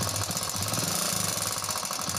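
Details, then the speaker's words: Passion Pro 100cc BS-4 bike idling with a fast, busy metallic clatter rattling from the engine side: a timing chain noise problem. "किसी के भी bike के साथ हो सकता है यह जो प्रॉब्लम है यह टाइमिंग चैन की प्रॉब्लम है"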